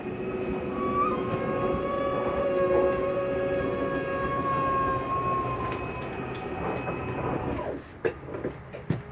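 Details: 2020 Coachmen Spirit 2454BH ultralight travel trailer, slide-out retracting with doors, drawers and vents closed: a steady motor drone with smooth, even gear whine, then a few clunks as it stops. The slide retracts normally.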